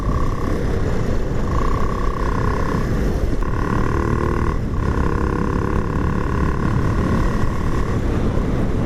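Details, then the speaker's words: Honda Supra X 125 Helm In with swapped CBR250R 250cc DOHC single-cylinder engine on Pertamax: deep, steady drone with loud hollow intake roar from throttle body under seat, outlet routed into storage box so it echoes; no knocks, normal intake noise. "Bunyi ini sebenarnya bukan knalpot ya, ini bunyi throttle body, karena ukurannya lebih lebar dan letaknya itu di bawah jok, nggak jauh dari Ici Bos lah."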